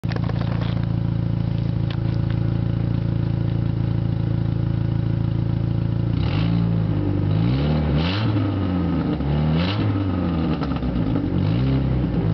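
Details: Dodge Neon petrol engine running without catalytic converter, loud raspy idle then blips with harsh puffing exhaust note; suspected exhaust leak, not confirmed.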